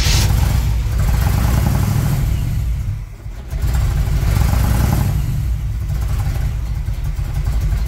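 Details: 1978 Chevrolet Monte Carlo, rebuilt 2004 with probably under 50 miles, started after sitting a couple of months: heavy uneven rumble surging and sagging, dropping out briefly; backfiring, stalling, won't accelerate; owner believes timing needs work, tune-up and plugs due.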